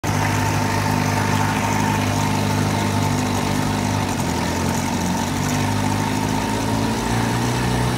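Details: 1980 Sea King by Chrysler 15 hp outboard on a 14 ft boat, slow acceleration test: top cylinder misfires from quarter throttle and recovers at mid to full throttle, an uneven stumbling beat; condensers replaced, coil swap identified ignition coil as cause.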